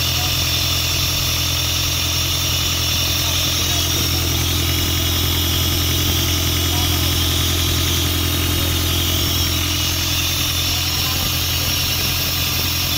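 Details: Isuzu 4LE2 diesel engine on an air compressor, after repair of a no-start (cylinder 4 had been blamed, smoke came out the intake): now idles steadily with an even low drone, no misses, knocks or hunting; normal idle.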